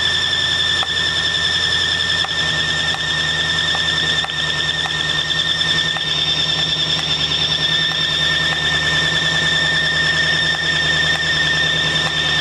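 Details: 1965 Mustang GT convertible after replacing belt and fitting Tuff Stuff 7068K 140 A alternator: constant high-pitched squeal over running engine, still present; belt or alternator side suspected, cause unconfirmed.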